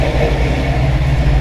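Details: Rat Rod Wrecker tow truck V8 after oil filtration work, with plenty of oil pressure reported: deep, steady low rumble with an even beat and no knocks or ticks, settled normal idle.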